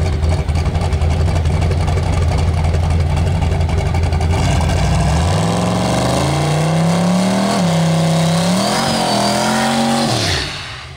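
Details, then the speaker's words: Turbocharged drag car with new turbo and plugs and O2 sensor now working, run to the eighth mile at 5.16 seconds: engine note climbs cleanly and evenly without stutter, then drops at lift; sounds much happier, running right. "does that sound so much better it sounds a lot happier"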